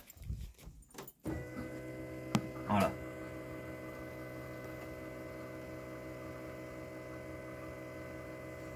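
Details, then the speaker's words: BMW 330d E46 with ignition on: after a short silence a steady, even electric hum at constant pitch from the fuel lift (pre-supply) pump under the seat beneath the body; normal priming, needed for starting. "vous mettez votre contact et vous devez entendre la prépompe de préalimentation qui est en dessous de votre siège sous la caisse"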